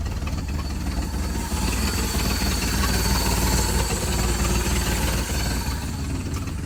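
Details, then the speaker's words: 1967 Ford 300 inline six running on a lawnmower carburetor, with gasket maker against vacuum leaks and the fuel pressure regulator at about 1 PSI (maybe half). Low, steady idle rumble with an even pulse, no knocks or misses; running fine. However, gas pours out of the carburetor. "all right as you can see it was running fine it's about to start the camera up show you had it running even better"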